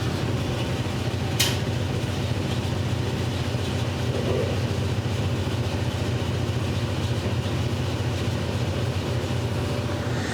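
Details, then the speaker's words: Gas clothes dryer test run after hookup, burner lit with lots of heat felt; steady drum rumble with soft burner roar, no popping, quieter than domestic dryers; at first thought to be a misfire but confirmed not; normal running. "No, it's not a misfire. I can feel tons of heat coming out of there, so I guess it is a lot quieter than your domestic ones."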